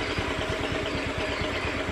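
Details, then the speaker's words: Honda Beat FI injected scooter idling rough, idle hunting up and down, won't hold idle and nearly stalls when throttled, stuttering; fuel pump suspected, fault codes to be checked. "nah langsamnya bunder naik-turun naik-turun"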